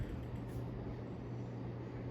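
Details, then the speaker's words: 1980 Sears (Emerson) Turn Of The Century ceiling fan, a K63 motor in a housing, with a replaced capacitor, running with a steady low hum plus a dull buzz from the canopy vibrating against the top of the motor housing; canopy rattle. "The canopy is vibrating against the bottom of the motor, or the top of the motor housing, so that's why you hear that vibrating noise."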